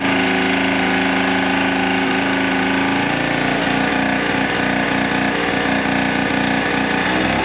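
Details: Old scooter, first start in years: busy, buzzy two-stroke idle holding constant pitch and level without dying or surging; healthy normal idle.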